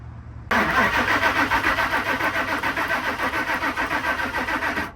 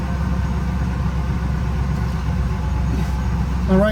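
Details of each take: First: 2000 Ford Excursion crank no start: starter turns the engine steadily at about three and a half beats a second for four seconds without catching; no fuel and possibly no spark. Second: 2000 Ford Excursion after fixing a crank-no-start, running after a connector was reconnected: steady, even low rumble with no misses, knocks or surges; idles smoothly.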